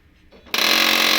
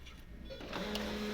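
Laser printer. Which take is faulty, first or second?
first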